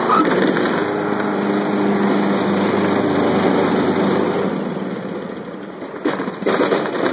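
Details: Craftsman LT1500 lawn tractor, bought new a year earlier with about 10 hours of use, began quitting after about 5 hours. Engine runs, then dies when the blades drop. Gas smell made the owner suspect flooding; Sears later found a bad wiring harness.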